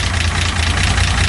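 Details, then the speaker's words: 1975 Datsun 280Z just got running, idling; steady low idle with fast light ticking over it, which the owner believes needs a valve adjustment. "for that noise this is gonna need a quick little valve adjustment but I feel like after that the car should be running free"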